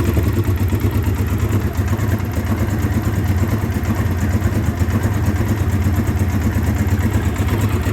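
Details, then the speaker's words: 2009 Polaris Sportsman 800 ATV, sat about 6 months, fuel pump had failed, running on fuel injection cleaner; lumpy idle and weak mid-range, but strong, clean revving from mid-range to wide open throttle, so the top end sounds healthy. "but from mid-range up to wide open throttle it runs great as you heard it was revving up really good"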